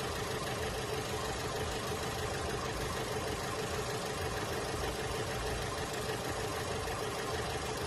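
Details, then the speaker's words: Holden Cruze at idle with a dead miss and very shaky engine: rough, uneven loping stumble about every two-thirds of a second, pointing to a failed coil pack. "we've got a Holden Cruze in the shop today came Molina with a engine misfire you can hear it you can feel it it's a dead miss"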